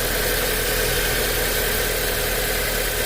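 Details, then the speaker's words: 2008 Audi A4 2.0T that had a rattle and tapping and codes P119A/P2279, after a new PCV valve: smooth, quiet idle with a steady hum and no rattle or tapping standing out; normal idle. "So how quiet it is now. It's definitely a lot quieter."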